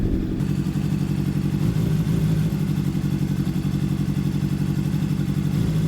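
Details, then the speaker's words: Honda CBR600RR rebuilt wreck, at about 14,000, at idle: lumpy uneven beat with loose clatter, sounding like a two-cylinder, misfiring with a cylinder or so dead; compression or valves suspected, not confirmed. "Sounds like a two-cylinder. So, we have a cylinder or so that's not working. Not sure exactly what it is."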